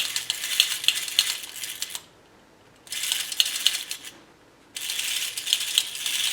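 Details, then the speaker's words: James Bond tin toy car motor after fitting replacement gear, slightly stiff shaft, lifted off ground: bursts of light fast metallic gear chatter speeding up when lifted, quiet gaps between; gear train spins freely. "So I'm quite happy with that. So that's that motor working, long last."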